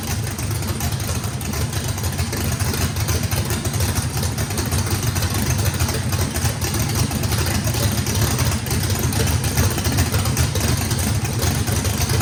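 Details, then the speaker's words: Drag-race engine with a radical camshaft (big overlap and lobe separation) on first fire-up, throttle blade about 6% open: deep, lumpy idle, steady and even with no knocks or misses. Sounds good. "all right guys fire in the hole fire in the hole sounds good"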